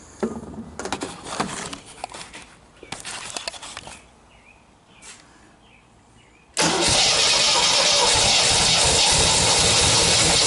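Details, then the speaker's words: 1977 MGB first start in years after rewiring, carburetor still needing cleaning, using starting fluid: engine catches and holds a steady, even roar, running cleanly. "it actually sounds pretty nice"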